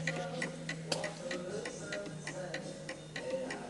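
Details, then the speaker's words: 1920 antique Napoleon hat mantle clock placed tilted to the right on an uneven surface: roughly ninety beats a minute, unequal spacing, tick louder than tock; out of beat from tilt and will eventually stop. "And because it's tilted more to the right, it is making more of a tick than a tock. And depending on the surface you put it on, all surfaces are uneven, so this has to be calibrated for it."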